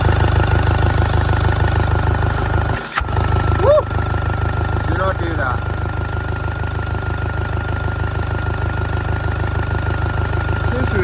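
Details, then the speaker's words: Front-damaged 2.0 Audi A3 saloon bought from Copart, a non-starter, now starting after a new throttle body was fitted, with many dash warning lights on. It settles into a steady, even diesel idle with a smooth rumble and regular clatter, no misses or hunting: normal idle. "running really good. Actually, I've got that to sort out as well, but seems like it's running all right."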